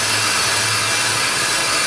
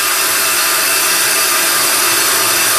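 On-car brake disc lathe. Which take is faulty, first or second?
first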